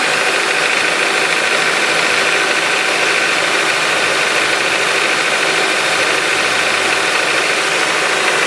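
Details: Honda K20A engine at cold idle: a quick, fairly regular light tapping above a bright, thin engine note. This is a cold-start knock that fades as the engine warms; cause not yet known.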